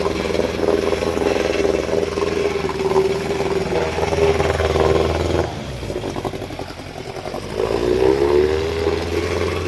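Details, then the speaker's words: Evinrude Yachtwin 3432C outboard, believed early-1960s and 2.5 or 3.5 hp, old two-stroke, running again after repair: steady buzz, dipping briefly then picking back up; runs fine, but the mixture screw still needs adjusting. "Not bad for an old motor. Still seems to be running"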